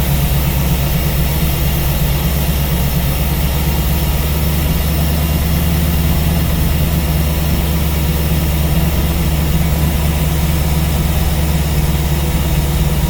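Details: Steady V8 idle on a newly installed Ace's Killshot EFI throttle body with Blackjack distributor, while base timing is set to 15°; deep, even burble with no knocks or misses, running clean.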